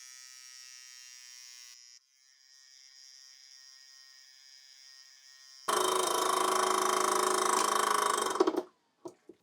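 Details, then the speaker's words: Reconditioned Rolls-Royce/Bentley (Shadow I & II, T1 & T2) accumulator valve body on test rig, RR363 fluid: brake pump buzzes loudly about three seconds then cuts off cleanly; cracks near 2300, leaks back to about 2100, reaches 2500; normal pressure build-up. "What I'll do is I'll just let the gauge build up the pressure so you can see what's happening."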